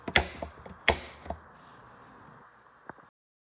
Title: Elite Suito Knocking or Clicking Sound Fix. Replace the belt tensioner pulley bearing Type 608RS